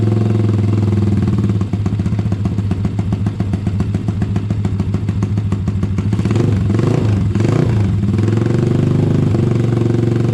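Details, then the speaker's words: Honda ATC70 with a Piranha 140cc single, just after first start: a quick, fairly even chatter at low idle that picks up briefly; sounds pretty good, though the idle may need a touch of adjustment. "Might need to adjust that idle a little bit. Sounds pretty good, though."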